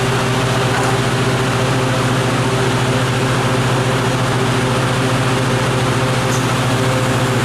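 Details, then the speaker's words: 2013 Riedel 6-ton air-cooled chiller, two compressors, run-off test with minimal tank load as water cools from 24 toward 14–15 with hot gas bypass engaging: steady, even compressor hum, constant low drone, no knocks or rattles; running normally. "see that hot gas bypass will come on and will start slowing down effectively that rate of cooling to keep the compressor running longer and with our minimal load we have here this is probably just going to stabilise right at that 15 or 14 be insane and just hold that temperature"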